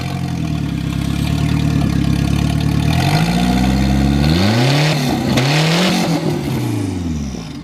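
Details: High-boost drift project car at a 2017 track event, running after a bent fuel line that starved the engine was fixed and a new fuel pump fitted. It settles into a steady run, then revs twice and drops back evenly: normal running.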